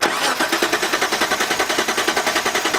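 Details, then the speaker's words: Petrol six-cylinder Pajero, about 15 years old, stalled off-road: starter cranks steadily at about eight pulses a second but it never catches. Spark and compression confirmed; vapor lock or fuel supply suspected, not confirmed. "the pagero stopped and won't start again feels like a vapor lock or something"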